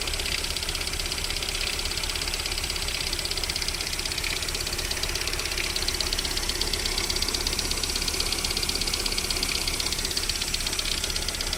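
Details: VAZ 21127 engine at cold idle during warm-up with a steady knock of about two beats a second; it goes away once the engine warms to about 40 degrees, cause unclear.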